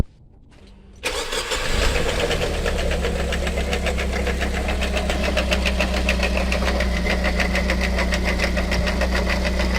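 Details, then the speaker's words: Dongfeng C37 minivan engine after starting: fast, steady ticking knock about three per second over idle. The noise disappears when the alternator drive belt is removed, pointing to a faulty belt-driven part. "como pueden observar el sonido ha desaparecido lo que me indica que algún componente que es movido por la banda de transmisión del alternador se encuentra defectuoso"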